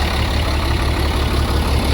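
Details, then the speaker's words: International 4400 DT466 diesel truck, thought to be a 2004, first run after sitting, having cranked slowly; metal flakes seen in fuel filter: heavy diesel idle, mostly smooth with slightly uneven throb and occasional soft stumble; slight miss, cause not found. "However, it's got a stumble. I think I can feel a little slight miss."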